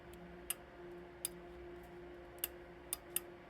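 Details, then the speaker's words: Sharp, light single clicks in a quiet room from a 2.5-gallon electric water heater thermostat contact, cleaned and tightened after a fused plug; now switching cleanly. "It is so sensitive here that you have to get it. You hear it click? That's off."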